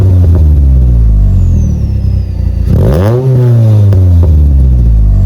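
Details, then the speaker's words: Mk6 Fiesta ST150 2.0 Duratec four-cylinder, started after sitting 7 months, no exhaust smoke: smooth rise and fall of revs with no ticking or knocking over the exhaust note; sounds healthy and smooth. "Sounds good. Doesn't sound too ticky or nothing, sounds nice. The 2 litre Duratex can be a wee bit ticky anyway, but sounds great, sounds really smooth."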